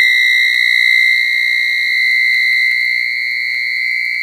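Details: 1980s microwave after several power blackouts makes a steady high-pitched whistle at one unchanging pitch; an abnormal tone, cause suspected to be the blackouts, not confirmed.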